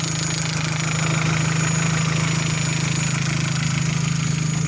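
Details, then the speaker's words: Opel Zafira 1.8 Z18XE petrol at idle, smooth steady hum with no ticking. This is after the hydraulic lifters were dismantled, washed in petrol and refilled with oil. LPG injectors are covered with a rag. Ticking was blamed on poor oil; repair successful. "короче гидрокомпенсаторы не стучат я прикрыл тряпкой форсунки газовые чтоб они они издают щелканье тут нет у таких со стуком как слышно двигатель работает чётко"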